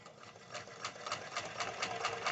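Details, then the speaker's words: White 1899 mechanical jeans sewing machine stitching thick material: quick, even stitching clatter at a steady pace with no low motor hum; normal running. "it's like butter and you didn't hear that large hum noise like you do with some mechanical machines isn't that nice beautiful just beautiful"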